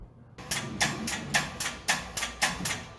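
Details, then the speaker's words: RynoWorx AirBoss 300 after throttle cable adjustment: sharp, even clicks about twice a second as the silver kickdown handle is jiggled, normal kickdown engaging with correctly adjusted cable and tension. "So as I jiggle the little silver handle here, you can hear clicking, and this is the kickdown doing its thing."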